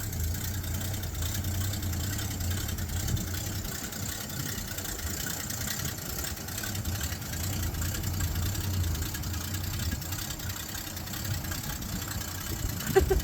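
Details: 1966 Ford Mustang project car: low uneven idle wavering and stumbling about three beats a second, sounding like it will stall; rough idle, cause unknown.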